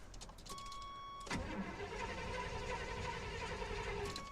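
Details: 1988 GMC Sierra short bed with a carb-swapped 350 V8, headers, Rock intake and a clacky electric fuel pump just hooked up: a chime, then long uneven cranking that never catches. Failed start; the owner is not confident in the truck.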